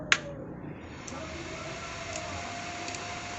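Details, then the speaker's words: Small class D900 amplifier on test, no grounding on supply: single sharp click at switch-on, faint ticks, then low hiss; all protection relays engaged normally, though some ripple noted. "sudah nyeklik semua relaynya, jadi tidak ada masalah ya."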